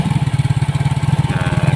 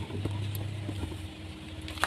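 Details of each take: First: Yamaha Mio J scooter with a D03 IAPS error, now running after the throttle-opening angle was checked (too high on a local part; original 16–20): a fast, even putter at idle with no stumbles, intake pressure about 48–50. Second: Yamaha Mio J fuel-injected scooter with a D03 IAPS intake-pressure error that starts but won't hold idle, even after the ISC was cleaned (dirty ISC plunger suspected): the starter whirrs, it catches briefly with an uneven stumbling beat, then dies.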